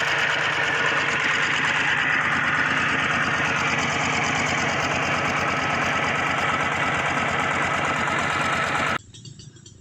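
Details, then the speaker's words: Walk-behind tractor single-cylinder diesel pumping water, after refilling dried-out engine oil with 3 L Siam Kubota oil: steady even beat, about 214 firing pulses a minute, unbroken until shutdown. Normal running. "ตอนนี้ก็ติดเรียบร้อยแล้วครับผมหลังจากที่เติมน้ำมันเครื่องเข้าสตารเบิ่งโอเคครับติดแล้วพู้นน้ำขึ้นแล้ว"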